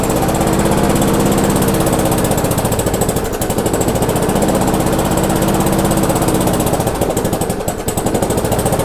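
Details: Abandoned MTD/Yard Machines non-self-propelled walk-behind mower, after screw adjustment and air cleaner refitted: rapid choppy firing around four beats a second, sagging and stumbling twice; engine judged good, governor arm blamed for the run issues.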